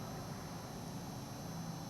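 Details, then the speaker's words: Bryant Evolution variable-speed inverter heat pump outdoor unit back in variable capacity mode after its warm-up stage, following a communication fault 179 fix: a low, steady fan and compressor hush with no knocks or whine; running normally. "we're back in variable capacity mode there's nothing wrong with it"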